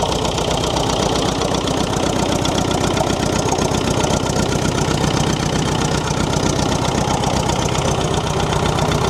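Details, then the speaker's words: David Brown diesel tractor, left sitting outdoors for 10 years, restarted on low battery power: even diesel clatter at a steady idle of about four beats a second, no misses or knocks, running as if turned off yesterday; normal idle. "All right, try it again. >> [laughter] >> Have a listen to that. Like she was turned off yesterday."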